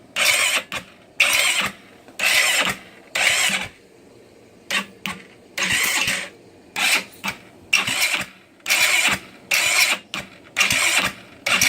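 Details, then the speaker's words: GY6 scooter after timing chain adjustment (46 link) and valve adjustment, with starter fluid, spark present and battery near empty: repeated one-second high whirring cranks, never firing; cause unknown, carburetor ruled out by starter fluid. "It's spinning. It's going forward, it's getting spark. We just don't understand it. Fuel. It's open air right now. Okay. Why is it not? Why is it not turning over? That's the question."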